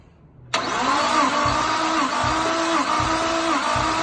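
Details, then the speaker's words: Nissan R33 RB25DET Neo during a compression test: the cranking rhythm is steady but one stroke per cycle sounds lighter, about every 0.6 s. Cylinder 3 read only about 80–90, low; the owners suspect the timing could be off among other causes. "It's down, shit out. Yeah, it's got a little bit. Fuck all. What, 90, 80, 87 sort of thing?"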